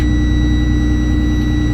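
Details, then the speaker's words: 2024 school bus diesel, new and low-mileage, warming up at about 1200 rpm high idle, expected to drop to about 700 once warm. Smooth, even hum with no knocks or misses: normal high idle. "this is our engine speed right now it's about 1200 RPM which is normal high idle as it's warming up once it's warmed up that should drop down to about 700"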